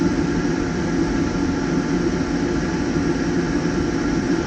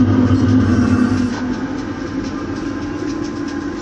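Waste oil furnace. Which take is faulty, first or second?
first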